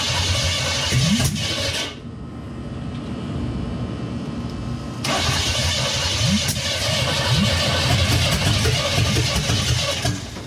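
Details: 1963 Chevy C10 with 355ci (350 bored .030 over) V8 and Turbo 350, unrun for years: steady starter cranking at about three churns a second, engine never catches; no-start from dead mechanical fuel pump starving the carb, later replaced.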